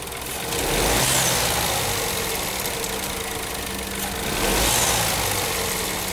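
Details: Renault/Dacia TCe 1.0 (H4D) engine after injection ECU reprogramming for the turbo wastegate rod rattle on deceleration: steady, even idle with a soft airy hiss on top, and the metallic ratcheting is almost gone.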